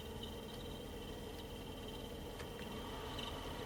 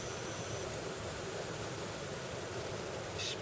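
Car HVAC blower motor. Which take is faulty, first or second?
first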